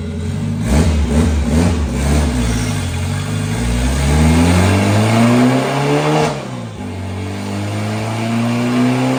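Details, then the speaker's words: Turbo Honda Civic drag car on a full-throttle pull: engine pitch climbs only gradually over a few seconds, then lifts; lazy boost, only 2 lb at 6,800 rpm and 12 lb at the 8,400 limiter. "yeah it does act a little lazy doesn't it at 6,800 I'm at 2 lb of Boo at 6800"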